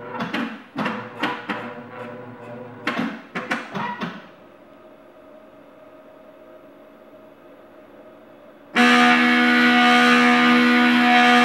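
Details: CNC with aluminium frame, TB6560 driver at 12 V, 10 kgf·cm 4 V 2 A stepper motors: loud horn-like buzzing tone at low rpm, motor resonance amplified by the frame.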